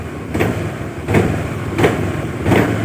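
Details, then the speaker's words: Automatic scooter (CVT): when the throttle opens, the engine surges in rattling bursts about every 0.7 seconds with a chattering judder. Owner suspects the secondary pulley: clutch lining, clutch bell, spring or damper rubbers. Not confirmed. "sini ada suara cap cap cap cap ya itu kemungkinan besar menandakan ada bermasalah di bagian puli secondary"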